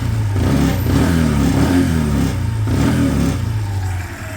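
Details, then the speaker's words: Chinese 125cc single-cylinder motorcycle blipping throttle; loose, uneven rattle over exhaust beat on each rev; tank rubbers present, so something else is rattling, source not found; rattle while revving. "it does have the rubbers something else is rattling it's not a huge issue actually just a touch of an annoyance when you hear it"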